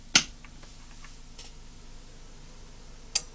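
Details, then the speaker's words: Samson TXM16 1000W powered mixer amplifier under repair, switched on: sharp click at switch-on, then another about three seconds later as the relay takes it out of protection mode. "I'll switch the amplifier on and you'll hear the click as it goes out of protection mode."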